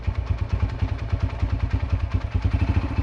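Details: Yamaha TT-R125 dirt bike pulled from a barn after about 10 years sitting, revived and warmed up: steady, even single-cylinder thumping idle with no misses or mechanical clatter; it holds idle fine while smoking heavily.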